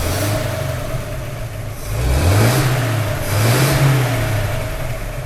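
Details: 1932 Nash 990 Series, twin-ignition engine with a dual-point distributor, after a tune-up with new points: the engine revs up cleanly twice and settles to a steady, even idle with no misses. It runs smoother than before.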